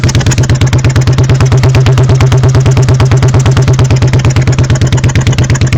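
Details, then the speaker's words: 1986 Honda Shadow 1100 V-twin, very high mileage, slightly warm, compression about 150: heavy, lumpy exhaust beat about three pulses a second, uneven when revved, carburettor puffing back; one cylinder missing, cause unknown. "this one here sounds like a sucking in cuz the cylinder's missing"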